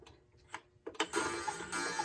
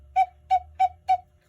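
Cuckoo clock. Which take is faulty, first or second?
first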